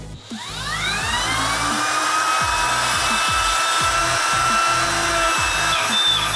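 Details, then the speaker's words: Drillpro DC901-1 18V cordless trimmer (Makita RT50DZ copy) in a cheap AliExpress plunge base, plunge-cutting 3 mm deep: thin steady high-pitched whine over the motor buzz; abnormal noise, cut stopped early, cause unconfirmed. "何か変な音してるんだが！？音にビビって予定より加工を短くしましたｗ異音がしたら作業を中止しましょう"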